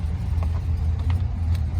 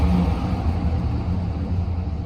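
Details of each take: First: 2004 GMC Sierra 2500HD 6.0 V8 4wd, auction truck sold as non-running, first start after coolant refill with broken exhaust manifold bolts leaking; deep uneven lumpy, loping idle. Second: 2004 GMC Sierra 2500HD, 6.0 LQ4 V8, 4wd, wrecked auction truck listed as non-running: revved at operating temperature with good oil pressure, a deep, even rumble responding to throttle with no knocks, ticks or misses. The engine is healthy.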